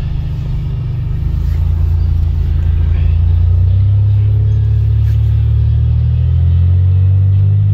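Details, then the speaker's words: 1990 Dodge Grand Caravan LE, just revived, on test drive: deep, loud booming drone swelling as van pulls away; muffler leaking, with more exhaust escaping from the muffler than out the tailpipe. "I think more is leaking out of the vehicle more exhaust there's leaking out of the muffler that is going out the back of the exhaust"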